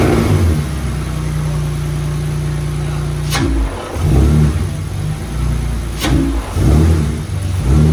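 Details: BMW E46 drift car that bogs on throttle even when warm and sometimes stalls, restarted with brake booster hose, filter and MAF refitted: idles, then revs stumble and sag. Not a vacuum leak; owner suspects injectors not all firing.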